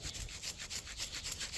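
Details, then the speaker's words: Farm planter part shaken during pre-season checks: about four short scratchy rattles a second as loose debris moves inside, though nothing should shake in there; owner guesses mice have got into it. "There shouldn't be any shaking in there. So the mice have gotten into it. At least that's what I'm guessing."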